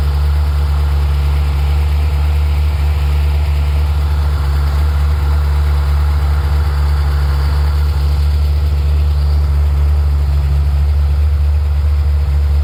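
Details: Ferrari F355 warmed up: deep, steady idle with an even, unbroken rumble and no knocks or ticks; normal warm idle.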